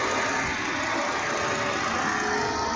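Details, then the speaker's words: Volvo XC70 Cross Country with 331,231 miles at idle: constant rushing whir of the radiator fan that never cycles off, engine otherwise sounding good and not overheating; owner suspects a bad thermostat sensor, cause not confirmed. "It's not overheating or anything, but that fan stays on continuously. Could be one of couple of things. Could be the thermostat sensor is bad."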